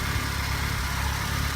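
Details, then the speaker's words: 1988 Honda Civic wagon/Wagovan engine at steady idle: smooth low rumble with no tapping or ticking, car doesn't smoke; only a minor oil pan seepage noted. Normal, healthy idle. "you hear the motor run not tapping taking car doesn't smoke"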